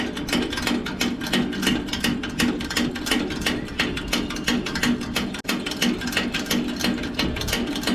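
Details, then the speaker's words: Coleman 413G dual fuel camp stove, fuel tank being pumped about 50 strokes: steady, even pump strokes about three a second with a woody click on each; normal fuel tank pressurizing. "you could test it after that and by turning the knob to the left and you could hear it you could hear the hissing you could hear that pressurized gas being re"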